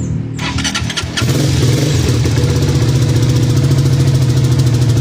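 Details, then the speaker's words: Rusi Flash X scooter, after a DIY throttle body cleaning, running with no air filter: it used to die right after starting with no idle; now a short crank catches at once and holds a steady, even idle. "Namamatay kasi yan pag-start mo namamatay. Walang menor. Ayan may menor na ulit siya."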